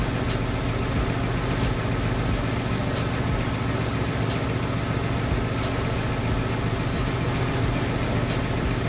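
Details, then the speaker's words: Ford Mustang Coyote V8 at idle: light, fast, fairly even tick over the idle; adding oil did not change it, oil level being checked; suspected rod bearing. "I don't know how well you guys heard that there's that ticking there I'm gonna add some oil see if that mitigates it a little bit we're still dropping the oil okay it doesn't change a thing"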